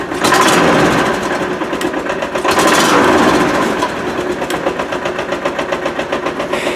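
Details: Kawasaki Mule after carburetor rebuild with new kits, jets cleaned and air needles set: small petrol engine runs with steady even beat, about four pulses a second, no misfires; normal running.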